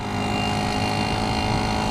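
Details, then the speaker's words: Yamaha QT50 two-stroke moped with new exhaust, 72 main jet and ram air, wide open throttle: louder buzzy drone, flat and smothered; boggy from idle, rich, owner suspects it needs a leaner jet. "seems like it's a little boggy on the very bottom and like from idle to go could be wrong I'm not positive"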